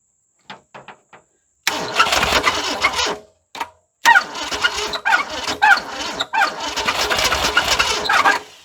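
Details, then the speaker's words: 1978 Ford Fairmont station wagon cranking after sitting 35 years, plugs cleaned, weak battery: uneven cranking with high chirping squeak each turn; owner wonders if main or rod bearing. "it sure wants to start y'all hear that squeaking I'm wonder if that's like a main bearing or something rod bearing"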